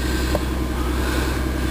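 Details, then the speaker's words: Ford Taurus (stated as 2000 and 2004), about 108,000 miles, check engine light on, owner suspects gas cap or sensor: steady, even idle with smooth low rumble, no knocks or misses; seems to run okay. "but it seems to be running okay"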